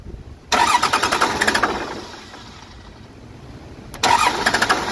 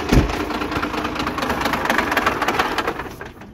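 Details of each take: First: Cummins 12-valve diesel swap after P7100 pump repair and refitting the AFC housing correctly, not run in a long while: cranks and fires, then settles into a steady idle clatter with no odd knock. Normal start and idle. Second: 12-valve diesel swap after P7100 injection pump repair, restarted to check throttle: uneven clatter at idle for about three seconds, then fades and dies as if fuel-starved; owner suspects the pump or running out of fuel. Engine stalling.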